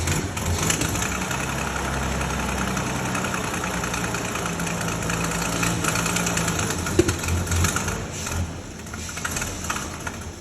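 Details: 1932 Bedford WLB six, first start after overhaul: fires up and holds a steady, slightly lumpy low idle with no knocks or rattles; runs as it should.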